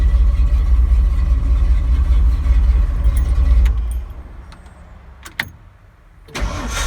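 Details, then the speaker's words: Ford 351M/400 family V8 with new budget gear-drive starter replacing the old direct-drive unit, engine cold: quick, even low-pitched cranking about two and a half pulses a second, whiny but healthy; normal starter cranking. "a whole lot better. Sounds weird because those little starters do sound weird,"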